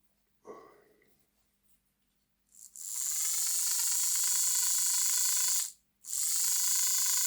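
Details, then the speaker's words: Lima Class 55 Deltic "Royal Scots Grey" model locomotive after refitting the gears and oiling the axles: thin high-pitched squeal over the motor whirr; drive gear squeal. "Ooh, it's making that noise. Okay. with a wee bit of a squeal."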